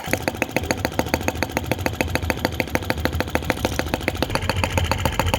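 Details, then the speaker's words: OKMO T16B Lanz-type brass half-tracked model tractor on its second start, outdoors, blowing smoke rings at scale speed: crisp, even single-cylinder putts about three and a half per second, steady and untroubled; normal healthy idle. "So we've got the sound, we've got the gorgeous looks, and the smoke rings. The really good scale speed."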